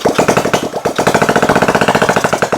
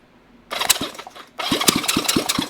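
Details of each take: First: 1971 Honda CB350 twin on an engine stand after valve adjustment and timing, first start with carb cleaner and a small leak: fast firing but the beat wavers and stumbles; runs rough, could run better. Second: 1971 Honda CB350 twin engine on a stand out of the frame, during valve adjustment and timing work; starter cranks in short even bursts with strong regular compression pulses, finger test showing good compression on both cylinders: healthy cranking.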